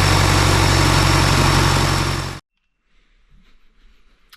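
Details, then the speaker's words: John Deere 2020 tractor diesel after rebuild, first start on a jump starter with slow cranking: even, steady idle with a regular low beat for a couple of seconds before shutoff; started fairly easily, some fuel leaks on return; normal idle. "that sounds promising started fairly easy actually"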